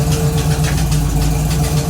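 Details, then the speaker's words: 1969 Camaro V8 started after sitting 36 years, idling in gear (Drive) with a quick sharp ticking about four times a second from a leaking exhaust header; new header gasket believed torn at top, later replaced. "so um that's pretty much it it's got a really bad exhaust leak it's it was a new gasket but I guess the top is torn"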